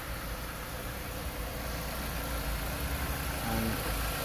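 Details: Chrysler 200/Sebring/Dodge Avenger engine idling after alternator replacement: quiet, steady low hum with no whine or squeal, the earlier noise gone and the alternator charging well. Normal idle.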